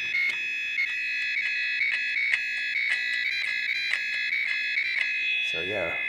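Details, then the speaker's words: TI-99/4A console scanned with a signal tracer pickup near the keyboard and its return lines while keys are pressed: steady high buzz with sharp ticks about every half second, lots of keyboard scanning noise. "of uh lots of noise on the keyboard for sure"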